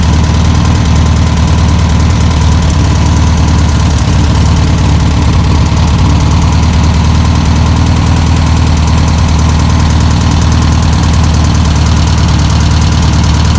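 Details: 1962 VW Type 2 van/bus flat-four, sat over 40 years, running on its own fuel supply: steady low, even idle with a regular beat and no misses; normal idle.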